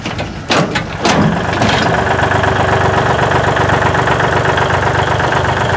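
Short crank, quick catch, then a steady, even idle with a regular beat about twice a second; a healthy cold start.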